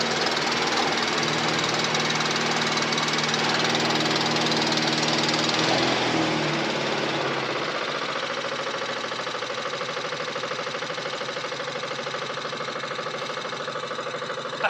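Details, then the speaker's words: Briggs & Stratton 450E mower after full service (previously started then cut out after seconds; stood a few years, old fuel in tank), even tickover settling and smoothing as it burns through to fresh fuel; healthy idle. "over sweeter than that now i think what it was is i've been stood for a few years it had south fuel in the farm but it's just about through that now"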